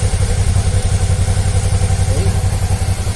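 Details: 2014 Suzuki V-Strom 650 ABS, warm, after repair of an air-leak-like bubbling exhaust noise at idle: warm twin holds a steady, even low beat with no popping or spitting in the exhaust; a clean, healthy idle.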